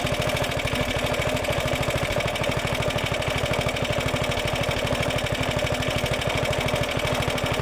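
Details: Roughly 70-year-old Suffolk Super Punch 17-inch cylinder mower, SIF 75cc cast-iron engine, running on oil-petrol mix after carb and points clean, microphone fitted; steady even putter at constant speed, no misses or knocks; clean normal running.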